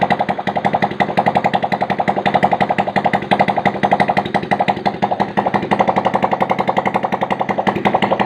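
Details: Honda Supra Fit motorcycle single-cylinder after service and cam chain tensioner cover refitted, oil primed via 10 mm bolt to stop tensioner clatter; quick, even idle with no tapping or chain clatter; normal idle.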